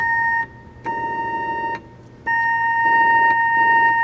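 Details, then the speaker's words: 1972 Kimball console electric home organ with Leslie speaker: keys from different octaves sound the same steady pitch, with more noise further down, showing a failed frequency divider IC in the oscillator divider chain. "okay this is an oscillator divider problem because you can hear there's no pitch change so this this is the first and then each one down is one of the divider i see"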